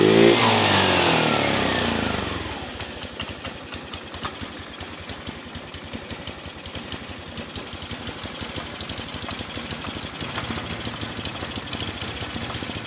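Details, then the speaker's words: Motorstar Easy Ride 150 that had no idle, high then dying idle and heavy fuel use, after auto choke fix and covering the air hole: brief rev dies back to an even putter about 160 beats a minute, steady, no dips or stalling. "so Ayun may Menor na siya at may hatting testing testing testing Ayos na interes na"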